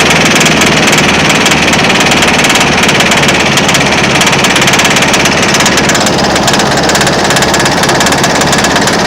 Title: John deere ez trak eztrak Z425 engine knocking under load